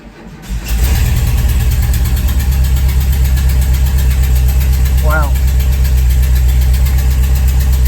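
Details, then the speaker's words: VW Vanagon after replacing failed fuel pump with a Bosch pump and swapping its power wires: engine catches within a second and settles into a steady, even low idle, normal start and running. "that was it it's running I can't complain"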